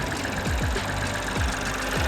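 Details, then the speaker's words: Ford Fiesta Sport at an auction inspection, idling rough under the hood; uneven three-cylinder idle with dull thumps and a rattle about twice a second; worn engine mount lets that side of the engine shake; no check engine light; looks like it needs an engine mount. "i can see what the rattling problem is this engine mount's doing nothing that's why that whole side of the engine is shaking"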